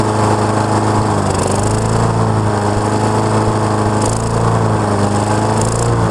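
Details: Honda mower engine with auto choke, owner reported it running then shutting off, being warmed up: holds a steady, even beat at constant speed with no surging or dying out, running smooth.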